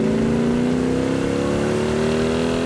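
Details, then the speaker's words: 1967 Hemi GTX convertible, 4-speed, dual quads, restored, under hard acceleration on the road: strong exhaust note climbs smoothly in pitch as the V8 pulls hard, no misfire, rattle or whine; normal, powerful acceleration. "Oh, it's got a ton of power, just amazing. You There's know, nothing like the torque of that thing when those dual quads open up."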